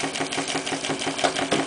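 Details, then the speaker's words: Clarkson inverted model steam engine with Stephenson valve gear, run on steam from a kit-built PMR boiler for the first time: even, quick chuffing about eight beats a second, no knocks; quieter and slower than on compressed air. "it runs a little bit quieter um and also it runs slower which probably due to the expansive effect of steam rather than the harshest of the compressed air"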